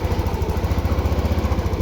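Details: TVS Jupiter BS6 scooter with a hard-starting and stalling problem, after battery work. Small single settles into an even, steady idle with no stumbling or dying; normal idle.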